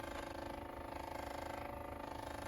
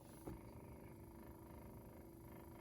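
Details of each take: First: Westinghouse reel-to-reel recorder after reassembly and shaving the rim tires, recording: faint steady buzz with fast even pulsing from the motor, cause unknown; owner plans to oil the motor; motor buzzing. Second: 1960s Westinghouse reel-to-reel, after spindle rim tires were lathe-shaved flat, playing with the spindle moved over: one small tick then soft even motor hum, almost silent, no clunking; quiet tape transport.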